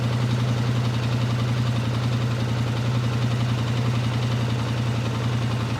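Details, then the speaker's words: 2019 Polaris Sportsman 1000XP that overheats on trails. Idling with a sensor disconnected to force the fan on, the check engine and hot lights come on, but only a steady low idle is heard with no fan whoosh. The radiator fan is not running; its circuit breaker and relay are to be checked. "We do have a check engine light. I don't hear the fan yet. As you can see, our hot light's on, and no fan."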